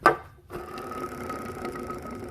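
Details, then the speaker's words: Worn idler pulley bearing from a Ford F150/Expedition 4.6L or 5.4L, removed and spun by hand on a loose timing cover: fine rapid tapping and thin ringing hum, often misdiagnosed as rod knock; fixed by replacing the bearing. "You hear that tapping noise? That gets misdiagnosed all the time as a rod knocking inside the engine because it vibrates through the block."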